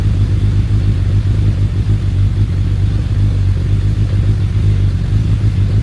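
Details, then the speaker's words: Suzuki Bandit 1200S, started easily on choke with a jumped battery, settling to idle: steady deep rumble with a faint uneven churning, no knocks; owner attributes churning to the clutch basket, possibly the SACS cooling system. "down into idle oh she sounds good you can still hear the clutch basket making that churning sound that's so weird that those clutch baskets"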